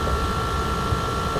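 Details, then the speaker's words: 2004 Lexus GX470 after replacing the leaking driver rear air spring: steady, even compressor whir at one pitch as the air spring inflates to ride height; normal operation, no leaks heard afterward. "so hopefully you guys can hear this you can hear the compressor here take and the airbags coming up"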